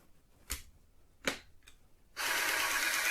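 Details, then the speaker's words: TRS-80 PC-1 printer interface fitted with a homemade removable NiCad pack replacing shorted original batteries: a couple of sharp clicks, then steady, even motor whir on power-up; print mechanism cycles normally, unit now works. "So the question now is, if I turn it on, it does work."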